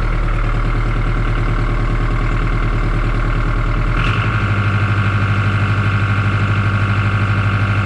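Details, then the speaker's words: John Deere 5410 diesel tractor after clearing fuel suspected of algae contamination that caused power loss; runs steady, snaps up on throttle and settles to an even smooth idle holding speed, slight surge from air in line: normal idle. "Got that good snap to it. It's getting fuel. I would say my problem is conquered."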